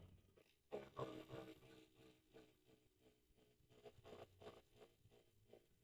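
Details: Rear bicycle hub spun: dry, uneven crunching and scraping; ratchet pawls suspected at first, but the removed freehub body was badly damaged and dirty, with worn hub bearings.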